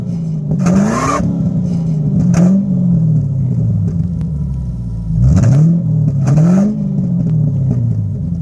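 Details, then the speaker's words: 1994 Ford Thunderbird V8, not yet warmed up, running old gas: deep exhaust burble climbs smoothly with each throttle blip and returns to steady idle, fuel injectors a bit noisy; normal revving. "that's kind of what it sounds like I guess for error that moves out of it because it's an 8-cylinder only thing that the engine makes is the exhaust sound and the fuel injectors are a bit noisy other than that it's virtually silent"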